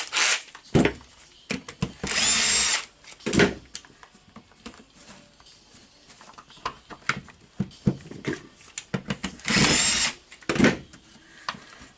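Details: Makita BHP453 cordless drill after a repair of the gear assembly spring (the clutch had been slipping); short bursts of an even, clean whirr with crisp starts and stops, no grinding or rattle; normal running.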